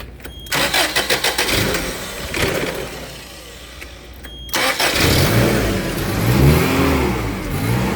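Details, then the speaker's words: 7FGU32: engine catches into a lumpy idle, speed hunting as RPM-signal voltage spikes (about 37 V) upset throttle-body control; adding resistance via a potentiometer cut peaks to about 25 V and smoothed the idle. "So right now, I'm just going to add resistance to the circuit. Right, and as you can see, the idle smoothed out."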